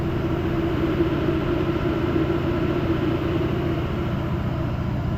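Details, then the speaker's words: 6.0 Powerstroke Ford Excursion with a blue-wire mod manual fan clutch switch, engine being revved. After the fan is switched off, a loud fan roar over the diesel fades gradually, taking about 30–45 seconds to fully release. Normal fan clutch spin-down. "It just finally shut off, so you can see it's not an instantaneous on off. That fan takes like 30 to 45 seconds to fully come on or shut off."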